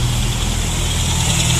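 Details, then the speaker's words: Honda Prelude with a JDM engine idling after a Gunk foaming degreaser wash; the engine was already hot. A steady, even low rumble with no knocks, misses or ticks: a normal idle. "Sounds good. Just gotta let it run. Kind of dry off."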